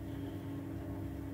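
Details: 15-year-old White Knight 37AW tumble dryer after repair of a grinding noise with worn parts replaced, running over half an hour: even, steady drum rumble with soft hum, no knocking or scraping; normal drum rotation.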